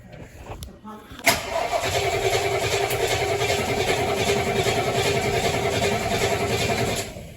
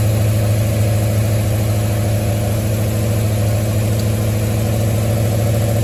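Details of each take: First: 1973 Mustang after a 1G-to-3G alternator conversion, throttle pumped before cranking: strong, even cranking at about three and a half beats a second for six seconds, never catches. Battery gives good amperage but the engine won't start. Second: 1973 Mustang idling after a 1G-to-3G alternator conversion: smooth, steady low idle with no ticks, knocks or whine from the belt end. Charging at about 14.2 V and roughly 11 amps; engine and charging system healthy.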